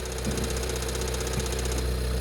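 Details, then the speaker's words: Seat Ibiza Cupra Bocanegra with 7-speed DSG at idle in neutral: steady idle with a loose metallic rattle from the gearbox side, not the timing chain, stopping in drive; faulty DSG clutch needing gearbox removal. "So this is the noise what's coming from the engine bay, but it's not coming from the timing chain side, it's coming from the gearbox side. As soon as we will select drive, the rattle will stop."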